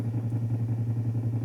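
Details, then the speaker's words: Hi-fi amplifier driven with a 0.5 Hz tone at about 200 W into 8 ohms: a steady low 120 Hz hum with a slight pulsing flutter, as supply ripple bleeds through once the output transistor saturates and its emitter follows the collector. "a tensão do emissor, do transistor, né, seguindo a tensão do coletor, tá? Ou seja, transistor saturado, né?"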